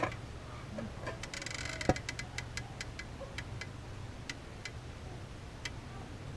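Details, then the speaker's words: 2006 Toyota Corolla XRS with sticking brakes: irregular sharp creaking clicks as the brake caliper piston is pushed back in without much resistance; gummed-up, seizing caliper piston. "it's going back in without too much resistance really that's interesting you hear that creaking"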